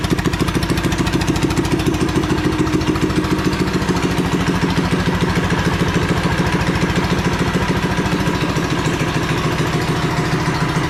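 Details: Revived once-sunk Coleman minibike with swapped 212cc engine and a new crankshaft, first start on fresh oil and gas: steady, even idle with a crisp regular exhaust beat and no knocking; sounds healthy.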